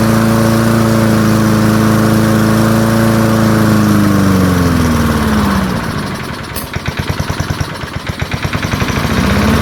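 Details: Early-1970s BF Goodrich push mower, a barn find that sat for years with a seized engine, now freed and running outdoors after carburetor diaphragm work: a steady high drone winding down to an even popping idle of about four beats per second. Normal running.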